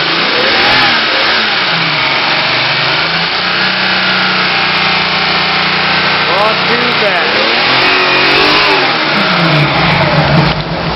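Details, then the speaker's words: Engine just started after fuel injection trigger wire hookup: revs rise and fall unevenly then lumpy chugging idle that won't hold; owner has been plugging vacuum leaks, cause not confirmed. "this one uh doesn't like the idle i've been plugging up vacuum leaks on it i don't know if you can hear in this video it's uh it's chugging pretty bad"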